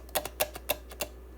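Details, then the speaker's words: FG-100 DDS function generator, powered off and tipped over before teardown: four or five sharp clicks as something small slides and knocks inside; a loose part rattling in the case. "I don't think things should be wrapping around inside it I may be wrong but uh let's uh flip our little box over here and give me a little bit of room to start tearing into this thing"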